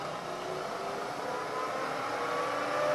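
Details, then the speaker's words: Milling machine (newer model with a continuously variable speed transmission and drive motor in the head) with its spindle brought up through 500 toward 1000 rpm: a smooth, even whirring hum whose tone rises slightly with speed, no knocks or grinding; normal spindle running. "you're working with very small tools you can get a better finish and get your work done faster you're running up at these higher speeds"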